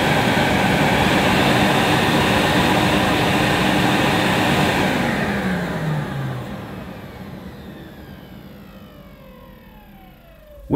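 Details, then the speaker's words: Hoover S4386 Aquatronic 1100 3-in-1 vacuum cleaner (circa 1987, Swiss-made): steady high motor roar winding down smoothly with a faint squeak near the end, motor runs normally, may need lubrication. "sounds as i remembered it maybe a little bit squeaky towards the end"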